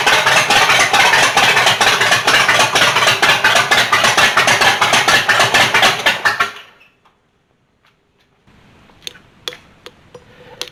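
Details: Rat rod just after cam install, first runs: choppy loping idle at about two beats a second, typical big-cam thump, then dies out; owner thinks the stall was low battery from an incorrectly hooked-up alternator. Lopey cam idle.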